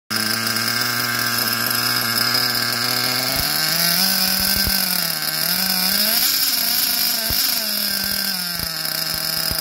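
High, buzzy engine note that wavers and sags rather than holding crisp revs, typical of a small nitro engine running too rich.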